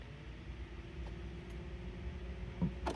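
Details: Jeep XJ blower fan switched on during a failed-starter diagnosis: soft steady hum with a faint constant tone under low cabin noise, spinning up smoothly. The blower gets power and the alternator tests good; normal blower operation.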